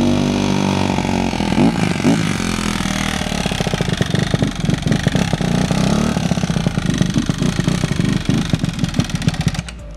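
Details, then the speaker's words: Honda CRF150R single-cylinder after a head rebuild for a broken valve: revs and falls back unevenly with a fast, sharp clatter over the exhaust. The owners suspect the auto decompression is staying open, needing adjustment; unconfirmed. "It sounds really clanky. It's the auto decompression. That's what it is."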